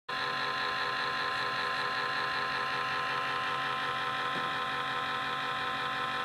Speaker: That's that annoying fan noise on your laptop.